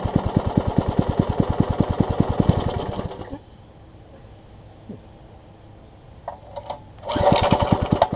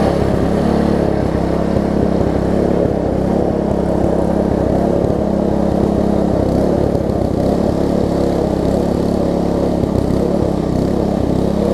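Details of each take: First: Troy-Bilt Tuffy rear-tine tiller, rebuilt from pieces; gas is reaching the carburetor but it won't keep running. Fast, even single-cylinder firing for about three seconds, then it dies and only briefly catches again: fuel starvation from a wrongly oriented carburetor diaphragm. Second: Troy-Bilt Tuffy rear-tine tiller, reassembled from pieces with the carburetor diaphragm refitted: even, steady single-cylinder chug with no misses, knocks or surging. Runs well; only a slightly worn cable is suspected of not moving fully. Normal running.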